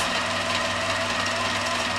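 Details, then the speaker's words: Gammill quilting machine with IntelliStitch Turbo cl in automatic warm-up mode, not over a quilt: three beeps, then fast, even chatter with steady motor hum; no stumbles. "it makes three beeps and then it will stitch and it will it'll run fast for three minutes"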